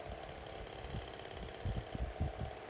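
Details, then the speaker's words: SMC 6-inch desk fan on high speed; steady airy hum with uneven low thumping rattle underneath; noisy fan, cause unclear. "they probably would have scrapped just makes a lot of noise even they probably would have"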